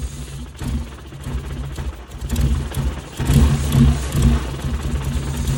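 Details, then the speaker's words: Mazda Miata after engine swap, first test run with transmission filled: revs surge and stumble with a ragged lumpy beat; owner suspects timing off by 15–20 degrees, to be checked under the valve cover. "sounds like the timing's off by like 15, 20 degrees."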